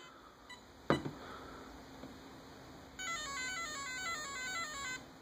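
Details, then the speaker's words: Castle Creations ESC powered on with the battery plugged in, transmitter on and held at full throttle. A clear run of short beeps steps up and down in pitch, then a second set signals entry into programming mode. ESC power-up tones. "wait for that now wait for another set of beeps to go through like that now you're in programming mode"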